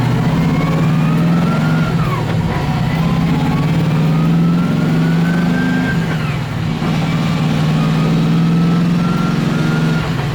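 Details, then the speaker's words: LS1-swapped Nissan S13 drift car on the road. The engine holds a loud, steady drone under throttle in fourth gear while the road tone barely climbs and the car hardly accelerates. The clutch slips in second gear and every gear above. "So basically the biggest issue with the car right now is the fact that the clutch will slip in basically second gear and any gear higher."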